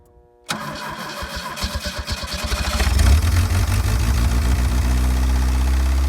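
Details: A 1984 Pontiac Fiero is cranked after a two-day Seafoam cylinder soak meant to free the rings and cut blow-by. Slow, heavy cranking at about four turns a second catches roughly into a lumpy idle. The owner believes the starter is working hard, not the battery.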